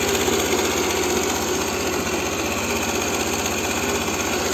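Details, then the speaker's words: Aprilia Proxy R50 scooter idling after idle screw and throttle cable adjustment (previously idle too low, stalling): steady even quick putter, about four pulses a second, no stumbling; normal idle. "Evet şu an çok güzel çalışıyor tam bu rölanti arkadaşlar"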